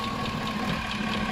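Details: 2005 Chevy Suburban 5.3L V8 idling with a light, regular tick about five a second from the passenger side, a hydraulic lifter tick; engine flush being tried to clear gunked lifter oil passages, else lifters need replacing.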